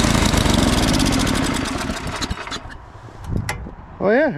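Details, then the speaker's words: Ariens snowblower, hard to start: small single-cylinder chugs unevenly for a couple of seconds, then fades and dies. Owner suspects water in the gas; it probably needs a carb clean. "well hard to start oh yeah probably has some water in the gas or something"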